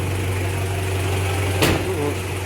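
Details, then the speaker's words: Toyota 1KZ-TE diesel after repair of a piston knock from a worn, scored cylinder liner, engine slightly warmed up: smooth, steady low idle drone with no knocking. "ну так сейчас работает машина после ремонта сейчас она немножко уже тепленькая прогретая"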